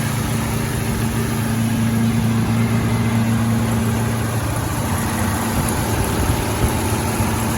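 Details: 1927 Stutz AA, 95 years old, first run in 40–50 years, gravity-fed carburetor: old engine ticking over with a low, fairly even exhaust beat and no knocks or misses; normal idle.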